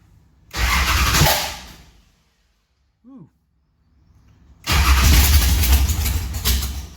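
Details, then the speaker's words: 1971 Plymouth Duster racecar, 528 big-block Mopar on alcohol, Powerglide, first start after sitting 3 years: barks to life with a loud rough roar, dies back, refires and holds a heavy lumpy run; healthy start. "hey Rob Garage dad here we got at 528 big-block Mopar runs on alcohol used to have nitrous but runs mid fives but hey let's have let's go ahead and crank it up yes"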